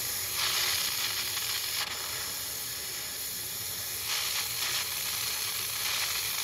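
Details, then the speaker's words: Monitor steam injector tested at 35 psi steam pressure, lifting water three or four feet with an overflow extension: steady hiss and sizzle with no firm pickup, struggling to prime at low pressure before eventually picking up. "it was having trouble lifting up water this high at 35 psi it is lifting about three or four feet here so with that tube it helps create a good suction at lower pressure almost picked up there we go i did eventually pick up"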